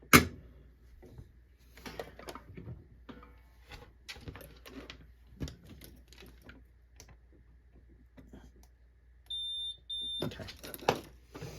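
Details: 1993 Compaq Contura 4/25 notebook power supply board, after capacitor replacement and re-soldering a joint that hadn't taken: quiet handling clicks, then a steady high multimeter beep, briefly broken and resumed, confirming continuity across the repaired trace; connection good.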